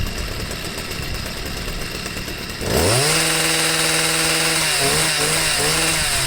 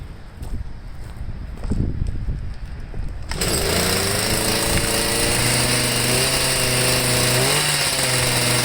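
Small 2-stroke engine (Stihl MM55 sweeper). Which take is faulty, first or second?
second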